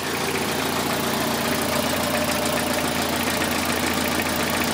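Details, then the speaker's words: 2003 Toyota Corolla after fixing an intermittent P0301 cylinder 1 misfire traced to a bad injector: petrol four-cylinder idles smoothly with an even steady beat, no stumble; misfire counts all zero. "Well, looks, runs better. let's wait. So far, so good. No misfire. I think it's already fixed."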